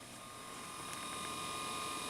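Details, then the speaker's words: IBM IntelliStation E Pro hard drive during Windows 98 install: fast uneven ratcheting and clicking thrashing over a steady whine while still working; cause unclear. "I don't think it's supposed to make that noise I hope it's working looks like it is despite the fact that it's making horrific noises over there"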